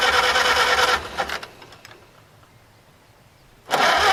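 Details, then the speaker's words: Farmall H tractor, radiator mounted but no coolant: a second of cranking cuts out to near silence before cranking resumes; a poor electrical connection interrupting starting, fired once wiggled (first thought flooded); no-start. "of course now I don't want to start well I thought I had just uh fluttered it out and that's why I wouldn't start but it turns out this connection here is not the best so I wiggled that and it actually fired"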